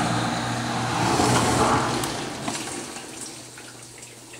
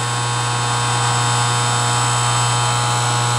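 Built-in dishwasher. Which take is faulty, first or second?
second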